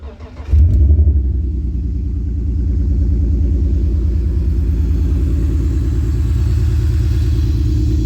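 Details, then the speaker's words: BMW E46 drift build, started after cleaning and left to idle about five minutes to dry out; cold start catches then settles into a deep, uneven, stumbling idle; suspected misfire, possibly wet plugs or water in intake, unconfirmed. "don't know if you can hear that but it kind of already sounds like it's having a bit of a misfire it's fighting"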